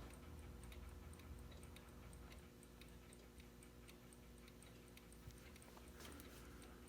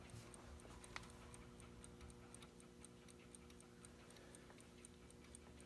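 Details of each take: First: Wall pendulum clock after being rocked on its stand to level it: quiet, steady ticking at about two per second with fairly even spacing; the clock is now in beat. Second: Wall pendulum clock needing oil, pendulum swung before service: quiet ticking at about seventy per minute with uneven tick-tock spacing; the clock is out of beat because it isn't level.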